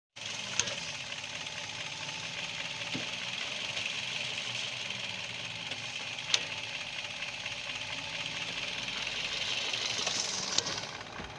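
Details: Car at idle shifting from park to reverse and drive: steady hiss broken by sharp single clunks as gears engage, from a worn front inner axle (CV) joint.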